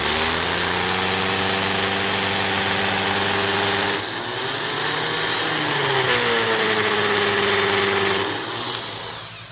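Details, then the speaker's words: Worx RX665L first-generation oscillating multi tool cutting under load; the spindle is tight but the plastic casing around the unreinforced front motor bearing has worn, so the motor is loose, giving a rough, wavering buzz, vibration and power loss. "So what's happening in this is the spindle itself is tight, but the motor's starting to get loose."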